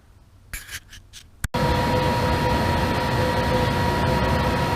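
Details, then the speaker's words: Monarch 10EE lathe with newly finished steadyrest fingers holding a small shaft that indicates true on a tenths indicator. After a few handling clicks, a steady, even mechanical hum with a faint constant tone and no knocks: normal running. "Let me get that out of the way and we'll fire it up and watch it run."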